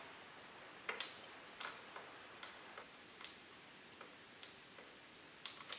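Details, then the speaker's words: Fuel pump from a 2013 Kawasaki STX-15F jet ski that had varnished fuel, bench-tested on a jump box. Only faint, uneven dry clicks about twice a second, no motor whir. The pump is seized and needs replacing. "Well, that's not a good sign. I think this pump is shot. Yep. I think we're going to need a fuel pump here, fellas. This thing is stuck. It's just clicking."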